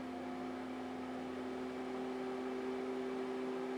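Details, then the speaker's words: Alienware Aurora R8 with Dynatron cooler fan, CPU at 99–100°C, 73% fan speed under stress test: constant airy whoosh with steady mid-pitched hum, no rattle; significantly louder. "we got 73 fan speed and you probably can hear that uh it is significantly louder"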